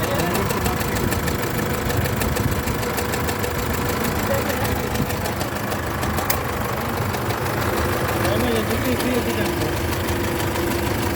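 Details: Isuzu D-Max GT 4JJ1 diesel at idle: a deep, uneven knock about three times a second, caused by a broken crankshaft main bearing cap.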